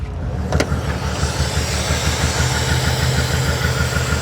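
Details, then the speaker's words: Auction car with a V12 and 130,000 km, a sealer on the rocker cover: an uneven, stumbling run with irregular low pulses. It is definitely misfiring, and a vacuum leak at the top is suspected. "all right so there she is she's definitely misfiring but by god look how big the thing is"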